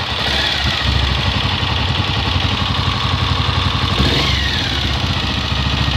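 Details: Honda XLR single-cylinder motorcycle at steady idle with a fast, busy clatter riding over the low thump; strange engine noise, cause unclear, not confirmed.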